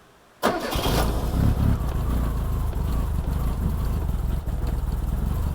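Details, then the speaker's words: 1987 Reliant Rialto barn find, first start on choke with fuel in tank: engine catches suddenly then runs a rough, uneven idle and dies; fires but doesn't settle. "That's slightly unbelievable. I mean, it just died, but that's fantastic. It just fired to life."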